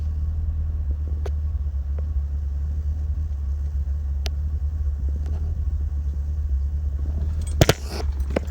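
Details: 2015 Chevrolet Camaro 2SS, 6.2L LS3 V8, manual: a deep, loping idle with an uneven throb. This lumpy idle is normal, not rough, reportedly tuned to evoke classic muscle cars.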